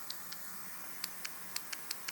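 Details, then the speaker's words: Porsche 911 Carrera 3.2L fuel injector off the engine, bench-tested with a 12-volt tester: eight sharp light ticks as it opens and closes; working solenoid, though passages may still be clogged. "yeah this one's this one's opening and closing i can hear it but just because it's clicking doesn't mean fuel is flowing through it"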